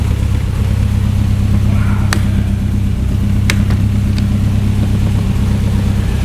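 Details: 1967 Morgan Plus 4 Drop Head Coupe four-cylinder, not run in years, first start after oil shot into cylinders: steady idle settling from about 1,200 to 800 rpm, even slightly lumpy beat, rocks a little, no knocks; sounds healthy.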